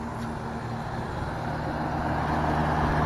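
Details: A 2003 Lennox 1.5-ton heat pump in cool mode and a 1975 Straight-Cool unit running together: steady compressor hum and fan whoosh, smooth without knocks or squeals; normal cooling operation.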